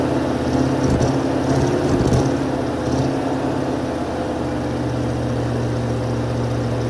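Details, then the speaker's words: 1980 Mercedes 450SL, first start after a new fuel pump and a long time sitting, no leaks: stumbles and surges unevenly for a few seconds, then settles into a steadier but still wavering idle; rough idle after start. "Oh, and it's not leaking either, and it seems to be working. It was a little iffy there at the beginning, but it's working."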